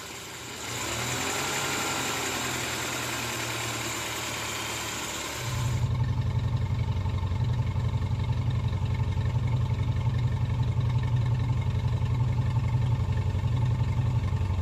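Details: Moskvich 2140 engine: after a noisy start it settles into a steady idle with an even internal knock about three times a second; cause not stated.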